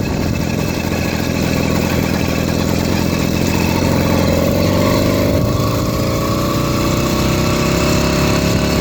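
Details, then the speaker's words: 80cc two-stroke motorized beach cruiser bicycle under riding load: loud buzz climbs, then sags and stutters instead of pulling into its power band; hesitation and lack of power, later a replacement performance carburetor made it run well. "It just isn't giving me that power band that should. There it goes. Did you hear it happen?"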